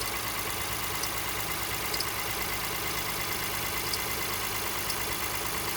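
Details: 2018 Honda Ridgeline Sport at about 30,000 km, parked after a cold start: a faint high chirp from the passenger side of the engine comes and goes, not tied to rpm, and goes away once warm; the source is not yet found.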